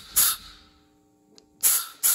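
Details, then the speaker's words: P7100 injection pump spill-port timing on a 6.7L Cummins build with an adjustable pump gear: shop air through the pump makes sharp bursts of hiss rushing freely, because the plunger is not yet at port closure. "So, right now it's moving quite a bit of air and I know I'm not at the port closure."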